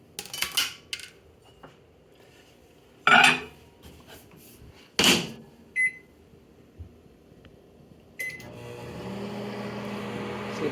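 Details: Panasonic NN-SE286 microwave after fixing its clicking: the stirrer antenna was bent so it no longer catches the stirrer plate. Door clunks, keypad beeps, then a steady hum with no clicking, normal operation.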